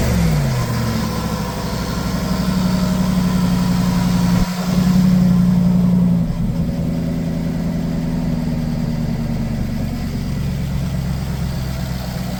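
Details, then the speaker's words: Jaguar XK after replacing the remaining six fuel injectors, fault codes still present, heavy exhaust smoke: it catches and settles into an uneven, lumpy idle with a wavering drone. About 9–10 litres of petrol-diluted oil was drained, the petrol suffocating the engine. "So it turns out the engine was full of petrol. I took about 9 to 10 litres of oil out of it, and it had the consistency of petrol, stank of petrol. So the reason why all that smoke was coming out was petrol in the oil, suffocating the engine."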